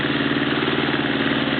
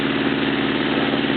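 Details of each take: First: Honda CB650 motorcycle, warmed up after a carburettor clean and oil change. Faint, uneven tick about three per second riding over the exhaust beat at idle; the owner doesn't know what it is, source not pinned down. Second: Honda CB650 warmed up, after carburettor clean and oil change; steady even idle with smooth consistent exhaust note, no knocks or misses, though an unidentified background tick was noted.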